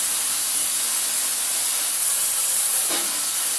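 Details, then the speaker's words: Ultrasonic cleaner running with the gas edger's carburetor parts in fluid: loud, steady high-pitched hiss, still loud with the lid on; owner thinks the lid needs gasket material to seal. "But man, listen to this. It is loud as shit. Then when I put the lid on it, yes sir, that's fucking loud."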